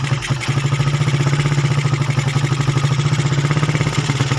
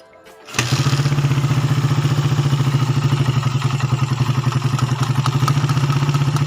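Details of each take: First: Motorcycle with a TK aftermarket PE 28 carburetor that keeps flooding despite repeated cleaning: small single runs with a rough, uneven low thump and a wet, stumbling idle that won't settle; carb flooding. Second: Motorcycle with a TK aftermarket PE 28 carburetor, after a flooding fix: starts at once and settles into a steady, even putter with no stumbling or misfires, music behind; healthy idle.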